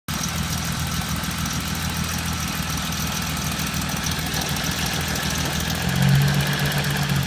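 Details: BMW E30 with S52 engine: steady idle with a rough, uneven rattle underneath at roughly four beats a second; horrible engine noise, cause unknown.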